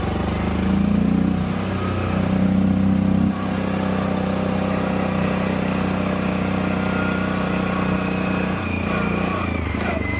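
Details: 2015 CFMOTO 800cc EFI V-twin ATV, 818 miles, running after sitting over two years, with a new AGM battery and fresh gas. Even, steady V-twin beat with a slight dip in level partway, no misses or rattles; a clean, healthy run (a left-case oil leak was found later).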